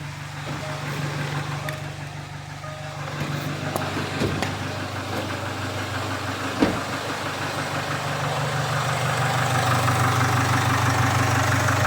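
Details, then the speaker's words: 2016 Jaguar F-Pace 2.0 diesel (204DTD), code P0341-92, idling after a new timing chain kit: steady, even clatter with no chain rattle or slap, quieter than before. No codes returned after 300 miles. "So I'll fire it up and see what it sounds like. Sounds all right."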